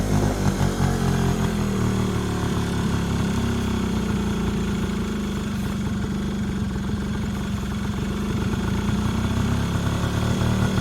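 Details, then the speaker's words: Yamaha Razz scooter, first start after sitting 11 years, idling: uneven lumpy fast-idle buzz, like it's running rich; carb bowl overfilling so fuel shut off, carburetor issue suspected. "11 years just started up on the second kick I just had to turn the fuel back off I think we just have a carburetor issue"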